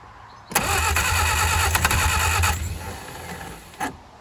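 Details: 1959 Reliant Regal Mk5/Mk6 three-wheeler, not run in over 20 years, fuelled from temporary tank: about three cranking turns a second, briefly tries to fire then dies; carburettor flooding from a stuck float.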